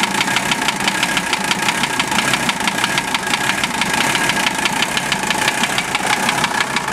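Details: OM617 diesel swapped into a Toyota, warmed up 2-3 minutes, idling: steady light knock at about engine speed over the clatter; unchanged after valve adjustment and cracking each injector loose; owner suspects piston/connecting rod area, teardown planned.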